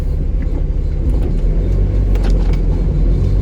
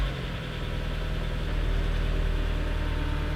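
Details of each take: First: Mazda Miata right after installing a Flyin' Miata muffler, low-speed driveway test drive: deep throaty rumble with irregular light metallic rattling coming and going; cause suspected, not confirmed. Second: Miata at first start after installing a used Flyin' Miata muffler (gasket fit uncertain); steady, smooth idle with a deep, low exhaust drone and reverberation, no knocks or rattles; normal idle with deep exhaust note.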